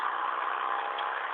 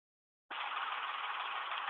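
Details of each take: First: 2005 Ford Expedition 5.4 3V, after replacing VCT solenoids (had codes P0012, P0022, over-retardation, rough ticking idle, stalling when warm): brief steady even engine hum, no misses or ticks; runs smooth, normal running. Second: 2005 Ford Expedition 5.4 3V at idle with codes P0012, P0022 and over-retardation, stalling when warm in drive or reverse: lumpy, rough idle with quick light ticking; faulty VCT solenoids.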